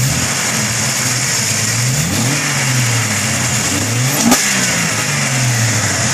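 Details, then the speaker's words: Jeep 4.0 six, new spark plugs, upgraded 99-up injectors, 93 octane, stock ignition, previously popping and backfiring: revs climb and drop cleanly and evenly, no popping or backfire; healthy again. "oh yeah she's alive again"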